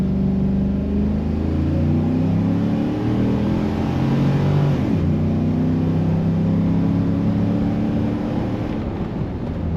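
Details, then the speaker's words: Tuned Tahoe with 2600 stall converter, fully warmed up, AC off, pulling from a stop possibly into second gear: engine note climbs smoothly and evenly without misses or knocks, not as quick as expected; normal acceleration. "It's not like, I guess I thought that it would just melt the tires with that 2600 stall and this newfound power."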